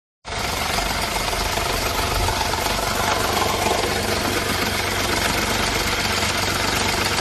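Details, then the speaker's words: Ford EcoSport 1.5 manual at cold idle: steady harsh metallic rattle about four beats a second from the gearbox with the clutch released; it stops when the clutch is pressed and returns when released. "Bueno, escucharon ese ruido. Está raro, ¿verdad? complicado porque se quita cuando pisamos el embrague, se vuelve cuando solt"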